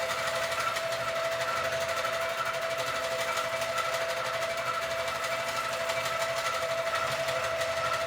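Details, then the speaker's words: Sewing machine quilting a quilt on a frame, bouncing too much; owner thinks something is too loose. Busy, rapid stitching chatter with a rattly beat about twice a second. Excessive bounce. "Now, I don't know if you could see that there's a lot of bouncing. So, I need to figure that out, which means something is too loose. Like, it's supposed to bounce, but there's too much bounce."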